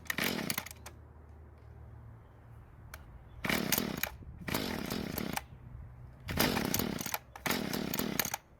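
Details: Mantis two-stroke tiller, long unused, after rebuilding the damaged carb and running conventional mixed fuel: sharp bursts to high revs several times, dropping back to a steady idle between blips; runs cleanly.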